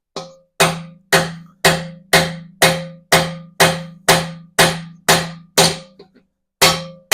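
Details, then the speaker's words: Bearing race being hammered into an 8.2-inch 10-bolt BOP differential during rebuild; steady blows about two a second, tone jumps higher near the end as the race bottoms out fully seated. "Oh, hear that? Went much higher pitch all of a sudden. So that should be seated."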